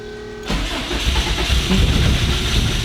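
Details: 800HP Subaru WRX STI boxer engine after breakdown, lots of fuel in cylinders blown out: starter cranks steadily at about four beats a second but it never catches; cause not confirmed.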